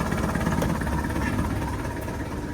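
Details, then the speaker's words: Sailboat diesel engine after hydrolock, when seawater backfilled the engine, suspected due to a mud dauber nest blocking it up: deep, steady idle with an even low rumble and no misses or knocks; running smoothly and picking up cooling water. "But anyway, we're getting ready to run this motor. She's running, picking up the water from there."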